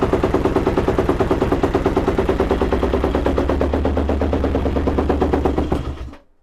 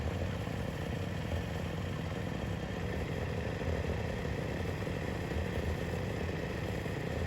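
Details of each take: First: Yamaha YFZ 478 hybrid (WR450 engine) ATV, choke pulled: fast even cranking chugs for about six seconds without catching, way too many chugs; hard starting, carburetor to be removed and worked on. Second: YFZ WR450 478 hybrid single-cylinder after head gasket repair: chugging at steady idle with no knocks, misses or odd noises; healthy with good compression.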